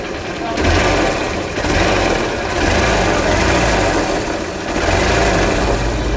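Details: Honda CBZ Xtreme motorcycle after repair: engine runs evenly through gentle revs with no chain rattle or tapping on top; sounds healthy.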